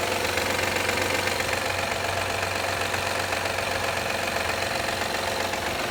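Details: 2013 Honda Accord EX-L V6 at a cold idle with sharp, regular loud clapping of about four per second; it happens every time the engine warms up in cold weather, and the source is undetermined.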